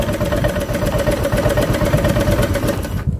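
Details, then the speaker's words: Honda Vario Techno 125 scooter, cold start, fuel pump pressure 42, idle-control valve working; uneven lumpy idle about 160 pulses a minute that dies after three seconds; engine still stalls when cold. "Ya, masih mati mas bro."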